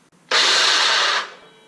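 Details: DeWalt DW708 miter saw motor runs about a second with a harsh, raspy high-pitched roar, sounding terrible, from a worn armature bearing before replacement.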